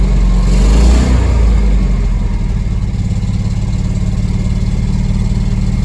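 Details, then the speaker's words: 1975 Ford F250 FE 390 4-speed 4x4, first start after 30 years sitting, freed-up engine, mismatched plugs, carburetor adjusted: deep idle with rapid, fairly even puffing beat near 220 a minute after a blip; sounds like a bad exhaust. "You know, it rubs up really clean. [Music] Sounds like it's got a bad exhaust."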